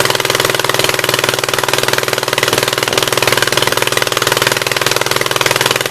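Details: 1976 Gravely 816 twin, first run on old gas, choke manually open: sharp even pulses about four a second with long gaps, a lopsided beat from the right cylinder firing alone; owner almost sure the other exhaust valve is stuck open.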